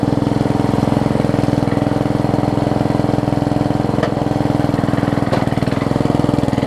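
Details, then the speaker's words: Yard Machines 38-inch rider, 13.5 hp Briggs & Stratton, spliced wiring, weak blade return missing spring, oil topped up: single cylinder chugs at a steady, even beat, no misses or knocks; transmission works, engine sounds alright. "the good news is transmission works this sounds alright"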